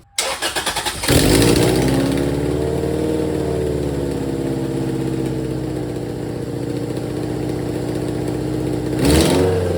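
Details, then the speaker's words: Supercharged Toyota MR2 Spyder with new custom exhaust and Dynomax muffler: engine starts and blips with raspy hissing puffs each rev from a big exhaust leak at the header, fitted without a gasket yet. "All right, guys, as you could probably tell by that sound clip, a lot of exhaust leaks. I don't have a gasket for the header yet."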